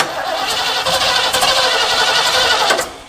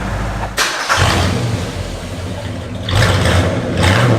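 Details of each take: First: Mid-1970s Ford Ranchero parked about five years, cranking from cold: ragged, random pops instead of even firing, won't start; spark plug wires later found off by one position. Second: Mid-1970s Ford Ranchero revived after years parked, after ignition timing change: starts, several quick clean free-rev blips rising and falling crisply with no misses, then steady idle; running well.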